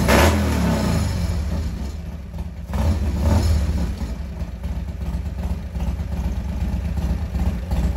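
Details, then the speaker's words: 1998 Harley Sportster after CV carb rebuild, in neutral, fuel on: V-twin catches after a few cranks, blips up, then settles into a loping, steady low idle; normal start and idle. "that's pretty good he's running I never know"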